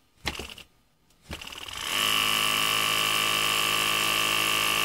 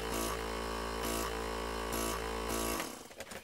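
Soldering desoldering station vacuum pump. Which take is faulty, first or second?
first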